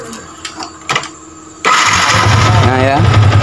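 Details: Yamaha Vixion fuel-injected motorcycle with a weak, worn battery (voltage must stay above 10 V while cranking): a short crank, then the engine catches cleanly and settles into a steady run.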